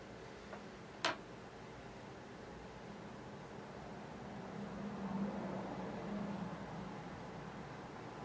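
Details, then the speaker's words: 1 TB platter hard drive with faint irregular ticking and soft chatter over fan hiss while Windows 10 deletes the old 1909 installation after updating to 2004; normal seek noise during large deletion. "so almost done boy you can still hear it grinding just to remove this directory this one does that old directory that's the 1909 directory"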